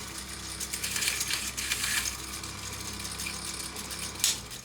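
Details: Philips EL 3514 tape recorder, rewind-only test with no pinch roller and tape pulled through because the edge guides are missing: steady whirring of the spooling tape with light rattles, no dragging or labouring; the rewind motor runs properly.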